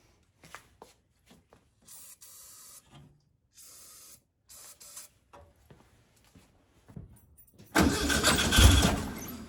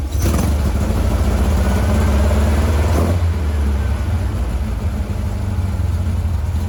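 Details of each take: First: 1956 VW Bug flat-four, driver's-side replacement 40mm carb disconnected and not supplying fuel, battery possibly weak: after long cranking and squeaky linkage, engine catches with a lumpy, uneven, stumbling beat, running on two cylinders from the passenger-side carb only. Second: 1956 VW Bug flat-four with replacement 40mm IDF/HPMX-style dual carbs, after fixing a fuel-dumping carb: deep, steady drone with an even beat and no misfire gaps, now running on all four cylinders. Linkage sync and carb tuning are still needed.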